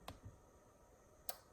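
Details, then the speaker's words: Arduino Wi-Fi garage door remote relay switched via local web page: two sharp, clean clicks about a second apart in a quiet room; relay switching normally. "just hear the relight click and there you go turn it on again yep and you can see that the real light clicks on"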